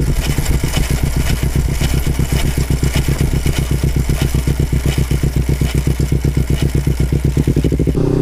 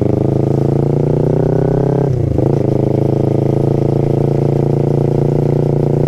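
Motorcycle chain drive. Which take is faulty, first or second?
first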